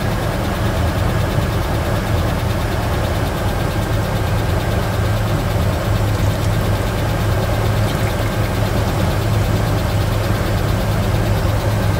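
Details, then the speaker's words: Mitsubishi Pajero Dakar V6 flex-fuel at idle during a post-purchase service with timing belt replacement, new radiator and cleaned TBI, while coolant bleeding is underway: smooth, even low rumble with no knocks, misses or hunting; normal healthy idle. "Vocês escutaram esta belíssima melodia. Quando a gente terminar o serviço dela, a gente faz aquela, ouvindo o urro deste belíssimo motor V6. Esses motores de alta cilindrada têm um barulho inigualável, não é mesmo?"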